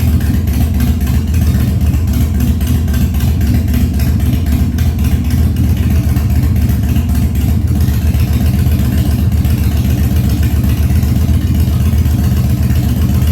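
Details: 1997 Harley-Davidson Fat Boy after carb cleaning, new plugs and battery; basically cold start on choke at 70°F humid, no air cleaner fitted: uneven loping V-twin beat about four pulses a second, steady, no misses or knocks; healthy idle.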